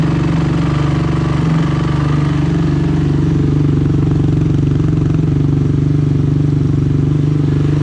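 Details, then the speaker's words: Rebuilt Honda TRX 450ER single-cylinder engine running with new gas line: steady even beat near four pulses a second, no knocks or rattles, runs healthy, though carburetor O-rings are leaking fuel. "all right that sounded good we're leaking a lot of gas here so i need to get some o-rings for that"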